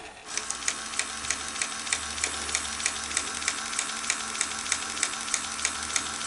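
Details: Sony SL-HF360 Super Beta HiFi Betamax VCR loading a tape: steady fast ticking about three per second from the loading mechanism as it keeps running without finishing. The tape is stuck.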